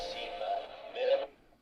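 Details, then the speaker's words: 1981 Sanyo M3330 personal cassette player playing tinny music that wobbles and sags in pitch then fades out as the old drive belts slip, chewing the tape; belts and take-up idler later replaced. "oh yeah it's starting to slip now B are starting to slip let's have a look"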